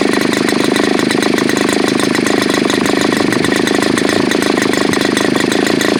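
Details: Super Tigre G4500 glow engine, hand started, first run on a stand: fast, even buzz holds a steady pitch with no sag or surging; running clean after slow throttle increase.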